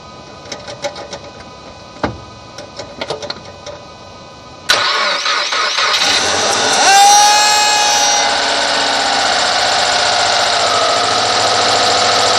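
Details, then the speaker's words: 2014 Subaru WRX at 15,897 miles, start mostly when cold, also at about 50°F: high wavering whining squeal as the engine cranks and catches, fading into steady idle; owner unsure if it is a bearing, happens about 80% of starts. "I have a squealing issue when I start it not quite sure if it's a bearing or what"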